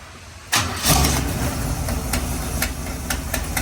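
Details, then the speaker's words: 1969 Chevrolet Camaro V8 started after sitting 36 years, idling lumpy with sharp ticks from a bad exhaust leak at the header; new gasket but its top is apparently torn. "so um that's pretty much it it's got a really bad exhaust leak it's it was a new gasket but I guess the top is torn"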